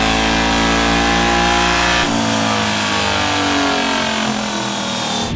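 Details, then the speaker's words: 1UZ V8 swapped mini-truck flat out on dyno near 7400 rpm, coolant about 190: steady high-rpm howl, slightly ragged and uneven; one dead cylinder, misfire from faulty coil pack, running on seven cylinders. "I'm sorry if you guys were ever wondering what a seven cylinder v8 sounds like or B seven that's what it sounds like"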